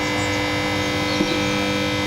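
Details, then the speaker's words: Couple-year-old battery charger charging a flat Ford Focus battery: loud, steady constant-pitch electrical hum; owner thinks it is too loud, but manufacturer twice said the noise is normal. "Those of you may remember, this is the one that was playing up when I bought it. When I first bought it. It's not supposed to make this much noise."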